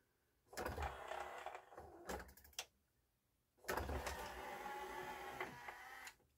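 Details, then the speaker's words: Yamaha CDC-625 5-disc CD changer, thrift store unit that wouldn't open: small motor whirs and rattles in two short bursts with silence between; owner suspects the turntable drive belt. "I have a feeling it's the other belt. It's the belt that's turning this turntable."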